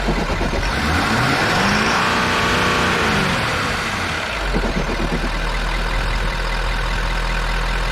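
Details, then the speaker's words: Ford F350 6.7L Powerstroke diesel after its tank was drained of mistakenly added gasoline; throttle is electronically limited, revs rise and fall smoothly, then a steady, even idle with no stumble, no dash warnings; normal running and revving. "i don't have really anything in the throttle of course these things are so limited now you can't just spool them up anymore but seems like it's normal"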